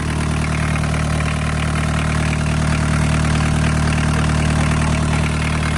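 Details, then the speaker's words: Barn-find VW Caddy pickup, mechanical diesel, 154,000 miles, off the road over 20 years, just started: steady, even diesel clatter at idle with a low constant drone, no misses or knocks; running healthy. "It wasn't very dramatic. It just started."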